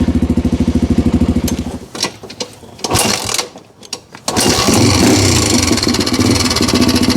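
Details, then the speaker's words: '87 Honda 250X ATV after installing camshaft and rocker arms, cold and long-sitting, choke off: crisp even single-cylinder idle, then clean revving with only normal light Honda tick, earlier extra tap gone; normal running. "But there you go. That's the way she's supposed to sound. Absolutely. So really all I'm hearing is your normal Honda tick"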